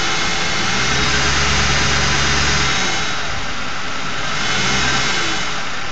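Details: Ford 4.6 V8 idling with a steady buzz over the engine note, attributed to a failed anti-drainback valve in a Prime Guard oil filter. A replacement filter of the same brand buzzed too, and the owner also wondered about the torque converter or front pump.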